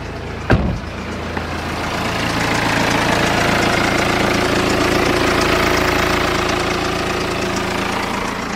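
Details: BMW 3 Series diesel cranks after a major service with oil changed and the fuel filter primed and bled, then catches and settles into a steady, even idle clatter with no stumbling or hunting.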